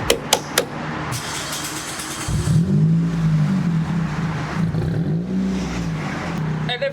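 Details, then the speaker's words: 2005 Toyota Corolla four-cylinder at startup and revs: catches and settles into a loud, raspy deep drone that swells with revs and pops; muffler rusted off. "unfortunately this car got a muffler delete due to natural rusting and the whole thing just came off so now it kind of sounds like this when you start it up"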